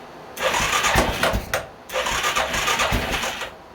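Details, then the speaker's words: 2000 Arctic Cat 500 4x4 quad (Suzuki 500cc engine), first start after cleaning tank and fuel filter, water found in gas: catches twice in rough bursts with heavy uneven thumping knock; owner hopes something loose, later fixed with used crank — crankshaft knock. "God damn it's got the worst knock ever hopefully it's just something loose"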